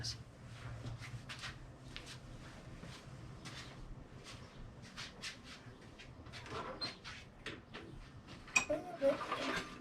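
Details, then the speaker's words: Troy-Bilt mower with Briggs & Stratton engine, runs after heavy grass buildup was cleaned from under the deck; clicking at startup was traced to the blade area. Starts and runs at a steady, even drone with no clicking: normal running. "nope that seems fine"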